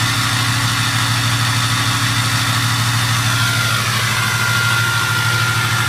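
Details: 2006 6.0 diesel with an 03 turbo at high idle: steady rumble with a clear constant high turbo whistle on top, normal spool sound.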